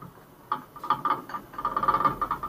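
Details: Ford Ka 1.0 2020 front right shock absorber removed and worked by hand: sharp clicking knocks from rod play; seal burst, oil leaked, guide worn; replacing the shock fixed the suspension noise.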